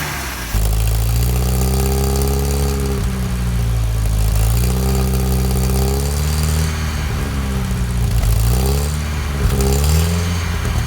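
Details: 1955 Land Rover Series One petrol engine, freshly rebuilt after about 50 years standing, first start-up with rebuilt or replaced SU fuel pump; deep, even idle with a few smooth throttle blips settling back cleanly, no knocks or misses.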